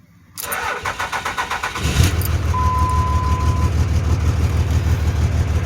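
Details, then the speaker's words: 2003 Dodge Ram 2500 common-rail Cummins with crank-no-start, suspect third injector capped off: cranking chugs, then catches into a slightly lumpy idle on five cylinders; faulty fuel injector. "so i just been going down the line on my rail and finally got to the injector that i suspect is is the issue so we're gonna change it out but here it is capped off and it starts up"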